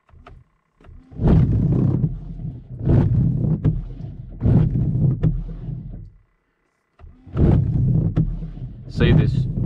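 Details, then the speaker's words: Car windscreen wipers grip the glass too much, chattering in rough juddering bursts instead of gliding and not cleaning properly; fix is applying coconut oil to the blades. "that vibration and shuttering is annoying and it doesn't clean the window properly"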